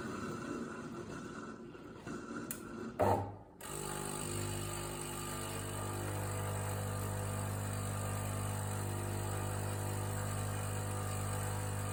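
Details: DeLonghi ECAM 23.266.B coffee machine drawing milk: a few sucking snorts, then a steady buzzing pump drone with a rattly edge. The same noise occurs when flushing the milk tank; abnormal, cause unclear.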